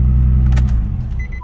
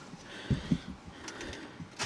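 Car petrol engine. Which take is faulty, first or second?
second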